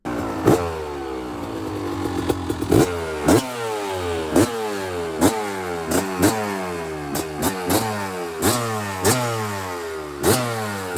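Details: Kawasaki KDX200 two-stroke freshly rebuilt with a new piston; crisp, even ring-ding revs through the gears with no knock or rattle. Healthy running.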